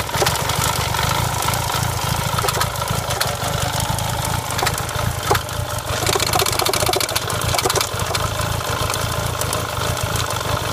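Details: Renault Clio 172 Cup with a misfire: lumpy, uneven idle with stumbling beats and a light metallic rattle over the top; cause not pinned down.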